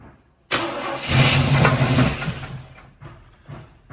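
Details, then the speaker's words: El Camino unmoved for eight years, on a jump box because of a dead battery and with starting fluid sprayed in; it cranks, catches with a short rough burst, then sags and dies back to cranking; fires but won't keep running. "We're going to have to put gas in it till she catches up."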